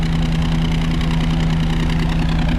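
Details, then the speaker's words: V8 Ford Transit after draining water-contaminated fuel, refilling with 99 octane and fixing corroded alternator connectors: deep even tick-over with steady low burble, no misses; normal idle, slightly rich with occasional pop. "So as you can probably hear, that is ticking over really nicely now, and I think it was the fuel."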